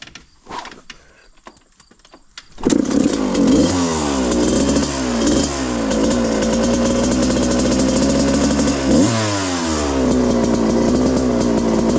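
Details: 1995 Suzuki RM125 two-stroke, rejetted from a rich 180 main to a smaller main and 45 pilot, on about 40:1 premix: fires cleanly, crisp throttle blips, then a steady idle. Running healthy.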